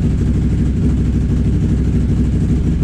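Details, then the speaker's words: Can-Am Renegade XMR 1000R with newly installed QSC Rev X primary clutch and new belt: steady low idle rumble, no clicking or rattling; clutch running quietly, normal idle. "so far so good right no loud noises everything's good so far you know what though that's that's a very quiet clutch right don't even hear a damn thing clicking"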